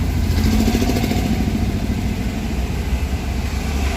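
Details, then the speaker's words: Honda Jazz after fixing a faulty idle air control valve (DTC P1519, check engine light): cold fast idle above 1000 rpm, steady and even with no surging or hunting, set to drop gradually to a normal 850 rpm idle. "jadi nanti rpm nya ini akan turun bertahap sampai 850 dalam kondisi stasioner normal ya ini karena masih dingin rpm nya di atas 1000"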